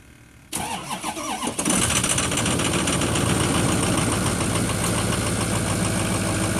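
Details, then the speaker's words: Ford 6.0 diesel, first start after FICM repair (wouldn't run with bad FICM), new batteries, unstarted almost four weeks: cranks briefly, catches, settles into uneven lumpy idle, lots of smoke at first; rough after cold start. "a little rough at first hadn't been started in almost four weeks it puffed out a lot of smoke at first"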